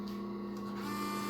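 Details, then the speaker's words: Peugeot/Citroën RT6 multimedia unit with black/white screen: continuous whirring hum as the CD drive keeps cycling trying to load the system, nothing displayed; corrupted firmware, software update via USB to be tried. "A tela clareou. Ficou branco. Barulho de JCD. Já fez o barulho. E nada na tela."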